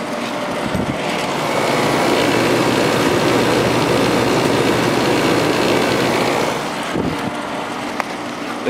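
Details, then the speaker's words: Vintage 1972 GE Slumberline 6,000 BTU air conditioner, GE compressor and fan motor, fan on high, drawing about 6 A; steady even whooshing hum with faint rattle from vibration through the frame; compressor running normally. "compressor itself is very quiet it's just the vibration that's being transferred through the frame that you can [Music] hear"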